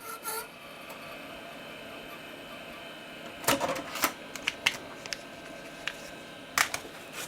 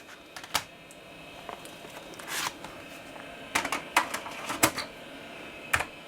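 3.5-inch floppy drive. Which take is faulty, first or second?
first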